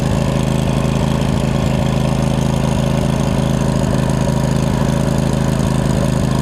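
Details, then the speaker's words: Craftsman mower with Briggs V-twin after resealing leaking valve covers: steady, even V-twin idle with a smooth low thump and no misses or knocks; normal idle. "now covers look good here it's smooth out too it's not too bad I put a little seat balm in it go let it run for about 15-20 minutes that'll solve any running issues"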